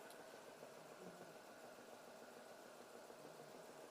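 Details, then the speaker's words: Renault Kwid with low pickup, idling with AC switched on: quiet slightly uneven idle with occasional stumble, engine vibrating more with AC; cylinder misfire traced to poorly sealing valve seat, causing poor pickup. "AC को करते हैं on, on किया और यहाँ पे पूरा engine vibration हो रहा है। यही प्रॉब्लम है और उसकी वजह से गाड़ी पिकअप नहीं ले रही है।"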